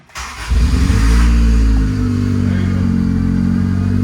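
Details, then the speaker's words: First start of a JDM classic petrol car after a Wilwood brake install: cranks, catches, flares, then holds a fast, steady high idle that needs adjusting; an oil leak is suspected from a distributor O-ring. "That's a high idle if I've ever seen one. What is running? I definitely do to adjust that idle."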